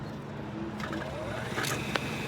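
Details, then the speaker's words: Rooftop restroom exhaust fan motor (no capacitor) struggling to start with power on: faint motor tone climbs slowly in pitch over about a second, weak starting torque; bearings seem okay, start winding suspected, motor to be replaced. "I was here a few weeks ago on maintenance, found a motor that was going bad. It just got no torque when you start it up."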